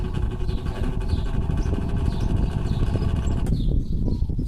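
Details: Older Arno fan, about 10 years old, overheats and makes a coarse rattling drone at speeds one to three, weak at low speed, running slightly faster at max; worn motor bushings let the shaft wobble.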